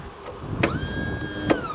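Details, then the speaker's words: Lawn tractor unused many years, key start with clutch pushed; short high electric whine rising and fading, engine not turning, starter drive gear not lifting to engage flywheel, bendix seized. Starter bendix not engaging. "oh man that sounds like a sewing machine well nothing's perfect the bandex drive is a little bit seized up"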